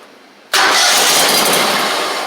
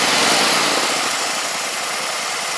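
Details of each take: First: Gravely 260Z mower with a Kohler engine, before repair; cranks and catches sharply, then the running note fades within about a second as the spark is killed; the ignition module is blamed, and the owner also suspects a short near the oil light switch. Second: Gravely 260Z Kohler V-twin, well-used and slightly smoking, after DSAI module removal and ignition coil swap: even twin-cylinder idle, then a sharp step up to a smooth high-speed run with no misses or knocks; running and driving.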